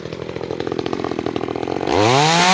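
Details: New Makita EA3200S chainsaw during break-in: busy even note while cutting wood, then clean climb to steady high scream at full throttle; strong and healthy.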